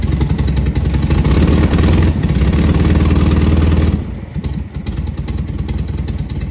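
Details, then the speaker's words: 1972 VW Super Beetle barn find, first runs after points cleaned and distributor timing adjusted, Solex H30 carb fitted and needing adjustment: lumpy, stumbling idle with a steady miss; timing helped slightly, carb suspected. "still got a Miss somewhere all right just the timing that's definitely a little bit better but it's still not right"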